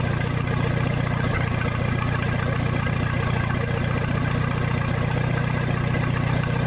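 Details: 1966 U302 Super tractor idling under its own power after earlier rebuild issues were corrected: a loud open-exhaust idle, steady and even with no knocks or skips, sounding healthy.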